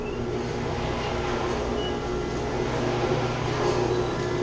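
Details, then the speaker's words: Chiller chilled-water pump with shaking copper lines: loud, steady low hum and rumble with a constant drone; the pump is shaking badly. A strainer needs cleaning and there is a leak. "it's shaking bad in the pump. Making a lot of noise. You see it's shaking."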